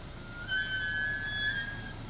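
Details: 2007 Chevrolet Equinox, front brakes, pads and rotors replaced about a month earlier: a loud, steady high-pitched squeal every time the brakes are applied in reverse, with no noise going forward.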